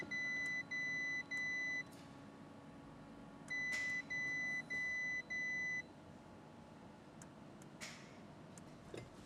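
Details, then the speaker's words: Fire-damaged Audi RS6 being rebuilt, first power-up after its engine repairs and rewiring: doors lock and unlock, then two runs of four sharp beeps and faint clicks with no cranking; no-start, cause not yet known at this point. "So, I'm not going to lie. I was pretty annoyed when the engine did not turn on."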